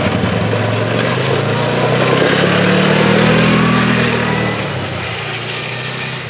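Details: Polaris 425 four-wheeler, not run in 3 years, after replacing fuel hoses: steady, even single-cylinder putter holding speed, fading as the quad pulls away; normal running.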